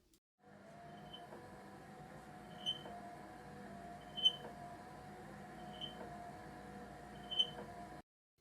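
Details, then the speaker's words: Secondhand 4moms MamaRoo (Uppababy Soma) motorized bassinet: steady motor whir with a sharp high squeak about every 1.5 seconds, from the gear housing driving the scissor lift rubbing; fixed by loosening that housing. "The kid loves it, but it makes this terrible squeaking noise sometimes. Here's a quick demo of what that sounds like."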